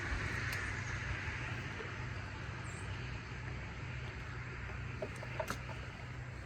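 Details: John Deere 165 Hydro lawn tractor with its new coil, testing with the old igniter swapped back in: steady low thrum holding an even beat under outdoor noise, with no misses or stumbles; running normally.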